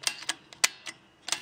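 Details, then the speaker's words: 1967 Williams Magic City electromechanical pinball, number one score reel after shortening its weak spring by about four coils and rebending the end: crisp even clicks, about eight in under two seconds, no drag; reel now steps smoothly. "I actually had to shorten this spring I think it was weak I cut off about I don't know about four coils of the spring and bent the end on the right and now it's really pretty smooth seems to be the spring is working just fine pulling"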